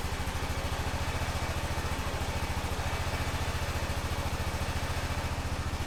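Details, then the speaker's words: 2005 Honda TRX650 Rincon, 650cc single-cylinder four-stroke, just started on choke in neutral after a no-run condition: steady, even idle thump about three and a half beats a second, unbroken; idling cleanly while warming up. "everything looks normal in neutral oh sounds pretty good huh need to let it warm"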